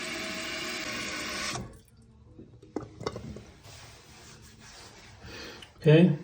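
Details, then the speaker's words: Guest bathroom toilet with an intermittent leak, after replacing the tank part the owner suspected. Water rushes steadily into the tank, then shuts off cleanly, leaving only faint drips. Normal refill shutoff, though whether the intermittent leak is fixed is not yet known. "it shuts off I don't hear any leakage now"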